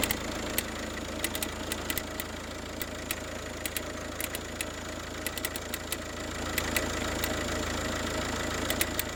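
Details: Peugeot 308 1.6 HDi diesel at idle, sharp irregular ticks about three or four a second, like a relay clicking; engine ticking.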